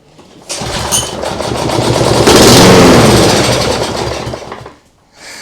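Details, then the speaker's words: Lawnmower engine with automatic choke on an outboard rig, temporary fuel supply: catches, revs into a rapid even putter about four seconds, then dies as fuel runs out; sounds just like a lawnmower, runs normally. "It sounds exactly like you would expect a lawnmower to sound like. So that's good."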